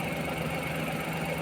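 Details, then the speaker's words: Suzuki minivan D63 engine, cylinder 2 misfire with intermittent check engine, plugs and coil already replaced, A/C on: uneven shaky idle with stumbling pulse, body vibrating; cylinder 2 exhaust valve had zero clearance, held open. "So naglindol na yung sasakyan. Yan oh. yung body ay talagang nag-vibrate."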